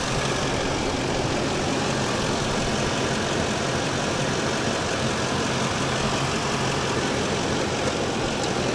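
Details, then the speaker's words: Van V8 with prior crank-no-start, fuel pump relay suspected, started after pressing inertia switch: steady even idle, smooth low rumble, no knocks or misses, though start sounded rough; normal idle. "hey but it started uh maybe it tripped something when I hit that inertia switch button so let's see here a little nervous of how that kicked on but it kicked on"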